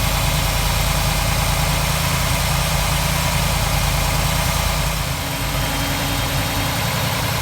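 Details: 1947 Ford street rod V8 idling after the intake manifold and distributor were reinstalled and a leaking water pump gasket was replaced; steady, even idle with a deep rumble and no knocks, ticks or misses. The engine sounds healthy.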